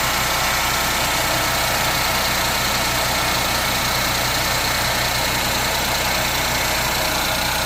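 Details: Ford Fiesta 1.0 EcoBoost petrol idling cold with a strong hissy whirring over its low hum; noise appears only when cold, fades after 25–30 seconds, absent when driving; cause unknown, owner asks for ideas.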